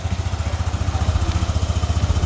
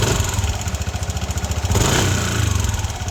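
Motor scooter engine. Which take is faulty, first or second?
second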